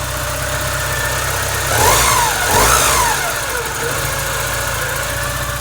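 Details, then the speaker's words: 1986 Porsche 944 with random no-start, after both new sensors installed: engine fires right up and settles into steady even idle after light blips, no misses or knocks; the sensor was likely the issue. "let's see if it'll start up oh yeah she fired right up so it's looking like that sensor was the issue"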